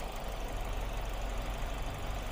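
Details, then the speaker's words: Ford Focus after replacing three failed ignition coils: low, steady idle with even beat and no stumbles or misses; every cylinder now working normally. "Now every cylinder is working normally."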